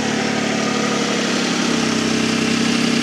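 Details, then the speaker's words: 2005 Toyota Avalon test-fired after AC compressor/alternator replacement: even idle with a faint quick ticking puff riding on the engine note; small exhaust leak. "Small exhaust leak, but that's that's"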